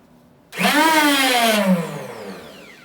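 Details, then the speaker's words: 5-year-old Cub Cadet 30-inch two-stage 420cc snowblower, fueled, oiled, primed, switch on run: one quick whirring turnover that sags and fades with no firing; cranks but won't start. "It's got gas, it's got oil, it's been primed, it's on run, fees in, should be good to go, and this is what it does."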